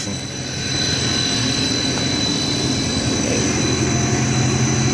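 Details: 60 HP hot closed-loop pump on a VFD, after swapping two three-phase wires to correct reverse rotation: loud steady rush with constant whine, no knocking or surging; turning the correct way, running normally and building pressure.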